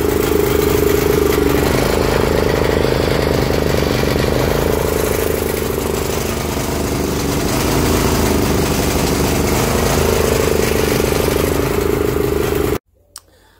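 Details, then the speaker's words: Barn-find Honda GX340 generator engine on a homemade CDI ignition, rope-started on a broken pulley: loud single-cylinder running with speed drifting up and down around idle; still hunting, owner blames bad fuel. "that was running a little bit better there still hunting a bit um but uh just put that down to bad fuel"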